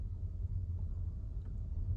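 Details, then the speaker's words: Earlier 2021 Tesla Model Y, cabin, stopped after acceleration to 30 mph, fan and AC off: only a faint, steady low-pitched hum like a fan, no whine, no steering wheel vibration; normal for this car. "it's a tiny bit there but it's like nice sound it's like a fan is working not a high pitch at all very low pitch the steering wheel is not doing anything it's not vibrating"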